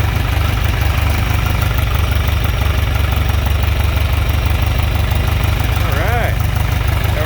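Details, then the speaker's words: John Deere 3020 LP with new head, LP system fixed without new parts, choke fully in, still running on vapor, not fully warmed: deep, steady low thump about three beats a second, responsive, no misses or knocks; normal idle. "nice and responsive it hasn't worked up all the way that's still running on Vapor uh probably real close to being able to push it over to liquid actually"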